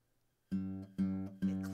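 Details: Acoustic guitar (Zager) string fretted properly, close to the fret rather than at the back of the fret space: three plucked notes ring clear and sustained with no rattle or buzz, showing the buzz came from finger placement, not the guitar.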